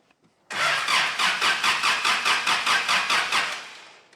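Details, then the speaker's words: 1985 Daihatsu Rocky 2.0 petrol, first crank after months sitting, fuel suspected in the sump: strong, even cranking about four compressions a second for three seconds, no catch yet; a healthy crank. "okay that's fantastic news that's a really healthy crank"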